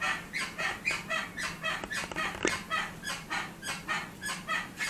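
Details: Porsche Cayenne rocked by hand gives a sharp squeak three to four times a second from a dry right-side brake caliper; squeak gone after the fix.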